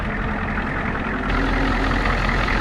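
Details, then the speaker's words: Old Ford F-Super Duty 7.3 IDI diesel, fuel system bled and return line fixed, cold and not yet warmed up: steady low rumble with an even idle beat, no misses or knocks; runs acceptably, though it soon faltered, possibly lost prime or out of diesel. "it actually runs all right now"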